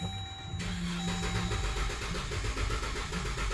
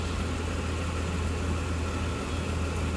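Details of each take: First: 2014 Dodge Durango 3.6L 4x4 with P0304 cylinder 4 misfire, coil and injector already replaced: starter cranking about four beats a second with one lighter beat; compression issue, worn camshaft lobe. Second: 2014 Dodge Durango 3.6L 4x4 with P0304 cylinder 4 misfire code, coil and injector already replaced, idling while warming up: smooth even low rumble, no skips, ticks or stumbles; normal idle.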